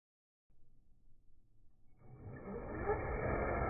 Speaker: all right guys let's put back together it's back in the truck it's running good everything's going great